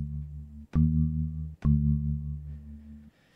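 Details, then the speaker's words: Focusrite Scarlett 2i2 via VoiceMeeter Banana with buffering set to 288, sample rate default: steady synth tone from Ableton plays clean, no crackle, after crackling at default settings. "with the 288 leaving sample rate default now if we play a tone out of ableton it's clean"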